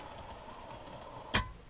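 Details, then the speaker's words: HO scale model railcar rolling over a glued-down derail detail part: a single sharp tick over a faint rolling hum as the coupler pin strikes it. The pin may sit lower than it should but doesn't hit turnouts. "So it's not that low, but it may be lower than it's supposed to be. But it does definitely hit on the derail."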